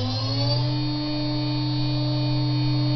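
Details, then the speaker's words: Higher-quality 3 kW water-cooled Chinese spindle with better bearings, stepped up in 6,000 RPM increments, now at 18,000 RPM: smooth steady whine rising briefly then settling to an even tone with low hum beneath. "so starting with the spindle on the right I will increase its speed in 6,000 RPM increments to 24,000 RPM"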